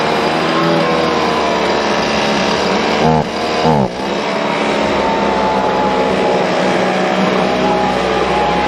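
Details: Husqvarna 125BV leaf blower after clearing a blocked carb fuel passage and fitting a new filter: high, steady two-stroke buzz that dips briefly near three seconds and recovers cleanly; it runs smooth and even.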